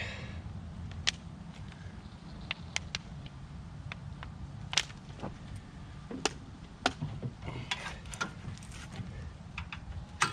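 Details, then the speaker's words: Tecumseh 5.5 hp engine on a long-sitting yard-sale MTD Yard Machines chipper/shredder, first start after two-stroke mix squirted in the carb throat: low steady drone running on its own fuel, with handling clicks; engine sounds good. "all right well started running off its own fuel which is surprising uh for how long i don't know how long this has been sitting because when i got it it had obviously been sitting a while too so um engine sounds good on here"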